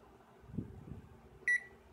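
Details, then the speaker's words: Electrolux direct-drive washer control board after replacing three damaged filters: one short, clean, steady-pitch beep in a quiet room; the buzzer now sounds normal, suggesting the board works. "como se podrán dar cuenta la chicharra ahora suena normal Eso ya nos da un indicio de que la tarjeta puede funcionar bien"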